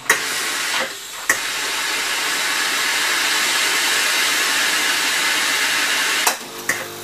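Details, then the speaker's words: Philips PerfectCare Silence GC 9550 steam generator after repair, refilled with water and switched on: a couple of clicks then strong steady steam hiss; working normally. "Vous pouvez déjà entendre le sifflement de la vapeur. Symptôme positif du fonctionnement de l'appareil."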